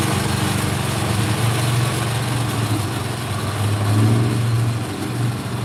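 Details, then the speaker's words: Craftsman snow blower, pull-started by hand after repair: the small single-cylinder engine holds a steady, even full-throttle run with no hunting or surging. Normal running at full speed; the fault had been the carburetor idle circuit. "pull started by hand and we're running at full speed no surging no nothing"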